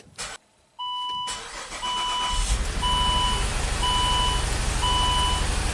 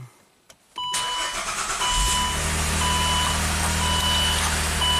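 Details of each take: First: 2008 Saab V6 turbo with code P0203 for the injector 3 circuit: engine starts, then runs lumpy and uneven on five cylinders under a steady chime. Battery voltage found on the injector 3 control wire points to a failed engine-computer injector driver. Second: 2008 Saab V6 Turbo with former cylinder 3 injector circuit fault (P0203), after replacement engine computer and throttle body relearn: brief crank, catches at once, settles into steady even idle with a chime; running normally.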